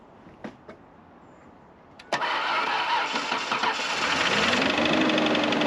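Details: Abandoned 1996 Ford Ranger 3.0L V6, long parked, started on jumper pack: cranks and catches, then rough uneven idle loping about three times a second; one cylinder not firing, its platinum plug badly fouled.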